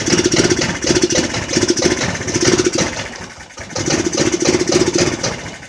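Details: Jonway Xpressway 250cc scooter that would not start at all, after first repairs; small engine catches and runs unevenly, surging and sagging with ragged patter and near stall, rough running.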